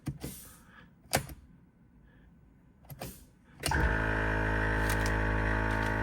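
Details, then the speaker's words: Jeep onboard air compressor feeding the front and rear lockers, working after a tripped circuit breaker was reset to restore 12 V. After a few clicks it runs with a steady, even, smooth buzzing hum: normal compressor run. "So, right now when I hit it, it uh sends air to the rear locker and you can hear it release."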